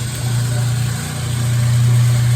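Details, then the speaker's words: Kenmore 70 series top-load washer with clothes, at spin cycle: only a steady low motor hum, mechanism heard at agitator shaft bottom but tub won't spin or agitate; broken motor coupling. "this particular issue today is that it's trying to spin and I can hear the mechanism spinning at the bottom of the shaft here of the agitator but it is not spinning"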